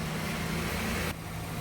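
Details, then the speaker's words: Ford Falcon AU ute, six-cylinder, 253,312 km, after new cat-back exhaust using sedan mufflers and a fabricated tailpipe, just started: steady deep smooth rumble easing off evenly, no rattles or leaks; nice and quiet, normal exhaust. "Ooh, nice and quiet. Sounds just like a Ford Falcon."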